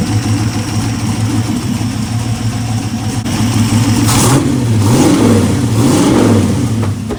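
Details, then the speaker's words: Aluminum 6.0 LS V8 on a run stand with mufflers, revving and settling with a deep burble; the earlier top-end tapping has quieted and seems gone, and oil is reaching the valvetrain. Normal running after revving. "Yeah, the noise might be gone. Sounds like it's gone."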